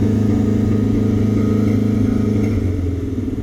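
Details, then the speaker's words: V8 Pinto idling rough and choppy with popping like backfiring after timing set to 12° initial with vacuum advance connected, reading over 30° at idle and 50° near 2000 rpm; over-advanced ignition timing, vacuum advance coming in too soon. "it sounded like it was popping like backfiring a little bit why does it sound like it's running so rough now it sounds choppy that's pretty bad"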